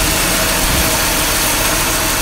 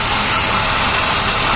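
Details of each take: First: Petrol engine idling steadily and evenly after restart, no hiss or hunting; vacuum leak thought to be found and sealed, idle now sounds better after the repair. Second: Petrol engine at idle after recent engine work; steady loud airy hiss from a disconnected vacuum line for the interior heating control, stopped once reconnected.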